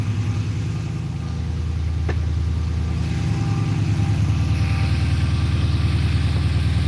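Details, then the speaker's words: Dodge Magnum started after its battery had been on the charger for a week; it catches immediately and settles into a steady, even low idle with no knocks, misses or rattles; a healthy normal start. "Oh, everybody wants to hear the Magnum start. Starts right up."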